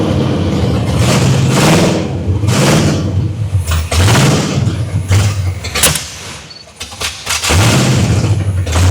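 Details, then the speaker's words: 1979 Pontiac Trans Am V8 after crossed plug wires were fixed and the 180°-out distributor corrected: it runs and takes a few throttle blips, revs rising and falling cleanly before settling. It is running. "Woo! Well, she's running. And I think that's probably about where I'm going to call it."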